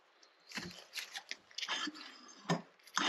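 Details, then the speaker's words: SU HD8 carburettor from a Jaguar XJ6, being rebuilt, jet hand-tightened and centred: lifted piston drops with a few sharp clicks as it bottoms fully and freely, the sound wanted. "That means it's bottoming all the way out. That's what we want to hear once this is tight."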